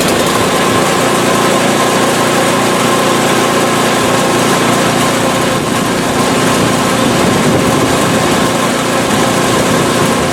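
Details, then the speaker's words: PowerSmart 24" snowblower small single-cylinder engine, ninth season, just after first start of winter with almost no cranking, about 50°F outside; steady, even running with no misses, surging or knocks; clean, healthy idle. "it was almost like a warm start or a hot start rather on the bluid almost no cranking at all fired right up beautiful"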